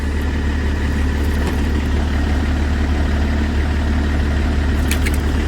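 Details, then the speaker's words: BMW E60/E61 that had no ignition or crank, suspected CAS module fault: now starts and idles with steady, even low rumble, no misses or knocks; running normally. "شوفوا الدور، دورة العربية زيك ملا عطل يا جماعة."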